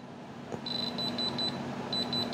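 A short run of high, evenly spaced beeps, pausing then repeating, as the tip touches the stone: the tester reading diamond.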